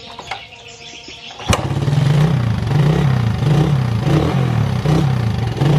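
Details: Suzuki Satria FU motorcycle, hard starting especially mornings needing 10-20 kicks, revs limited at high throttle with black smoke despite repeated carburettor rebuilds: catches quietly then surges in short uneven blips; cause a failing spark plug cap.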